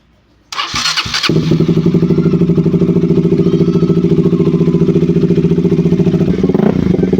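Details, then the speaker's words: KTM RC 200 single-cylinder after fitting a spare spark plug cap in place of a faulty one that caused stalling, no-start and rough idle. A short crank, then it catches and settles into a steady, even idle of about 214 beats a minute; runs clean. "Sige so Ayan umandar yung motor Ito lang yung pinalitan natin So most of the"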